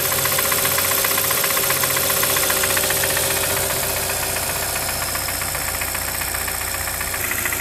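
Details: Brand new 2013 Hyundai Santa Fe at smooth idle: steady light ticking knock about 2.5 per second; wrist pin or piston defect suspected, not confirmed.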